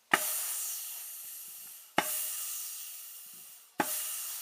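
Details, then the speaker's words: A518/46RE transmission, valve body removed, air test of front clutch apply passage: three sharp air bursts about two seconds apart fading into hiss as the clutch strokes; applies normally. "You can hear the clutch moving And well, that's all the test you can make."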